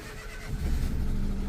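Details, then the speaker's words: Auction-bought car, engine light on, started and revved: uneven lumpy low chug with irregular pulses, sounding like a misfire or tractor; misfire suspected, fault codes yet to be read. "it does sound qu it sounds like it's misfiring um rev it up and it has got an engine engine light on don't sound great sounds sounds a bit tractor"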